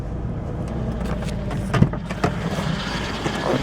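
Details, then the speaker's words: 2001 Ford Escape parts car, rumored to have jumped timing, just started on a new battery: uneven idle with irregular thumps and stumbles over the engine note; running rough, and it later won't accelerate. "ah runs kind of rough"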